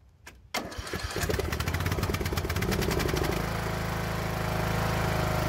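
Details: Craftsman Briggs & Stratton engine with new carburetor whose choke stuck, after intake pipe modification: short crank, fires rough a couple of seconds with choke on, then smooths to an even, steady run as choke releases.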